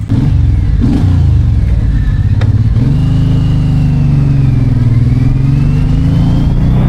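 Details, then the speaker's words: Suzuki M109R after engine rebuild, test ride of over 10 km: deep strong pull rising smoothly through the revs with no knocks or rattles; engine working normally under acceleration after repair. "爽了，兄弟们，跑了10几公里，发动机的工作状态一切正常，尤其是它这个后宽胎抓地力十足，直接按在地上摩擦的。"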